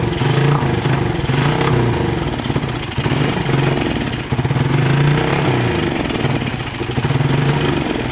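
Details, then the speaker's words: Motorcycle carburettor engine sputtering unevenly when throttle opened, like too much fuel despite a cleaned carburettor; misfire caused by a loose spark plug cap, fixed by tightening the cap so it grips the plug. "gas motor ini brebet Ya teman-teman seperti kebanyakan minyak ya"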